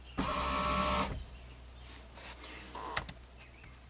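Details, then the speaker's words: 2004 GMC Envoy XUV power roof motor with its pins unpinned from the module and power applied directly while the position sensors are scoped: a smooth one-second whir with no binding. The motor and sensors work, yet the module reads position zero. "stop that it looks like it's working absolutely perfectly those are the two position sensors"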